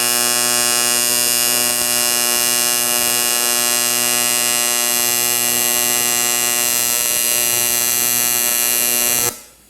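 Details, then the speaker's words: Arccaptain 200A AC/DC TIG welder, AC TIG on aluminum with blunted tungsten; steady high buzzing hum holding even about nine seconds then stopping; stable normal AC arc. "Oh yeah. Much more what I'm used to, because you're really able to pinpoint the heat."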